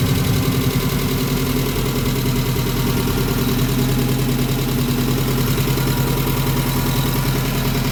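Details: 1994 Subaru Legacy 2.2L flat-four after new fuel pump, radiator, headers and thermostat; radiator fans not turning on: steady even low idle rumble, no knocks, misses or hunting while warming up; running healthy.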